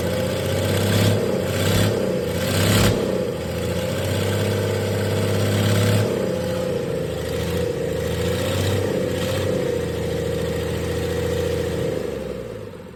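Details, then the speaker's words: 1996 Dodge 2500 diesel with no turbo or exhaust manifold fitted after turbo failure, revving up and dropping back: uneven lumpy clattery beat; runs rough, owner suspects injection pump setup and oversized injectors, too much fuel for available air. "it's definitely got I mean it's not real smooth especially right there but I think it might have something to do with the way the injection pump is set up and the injectors that it has in"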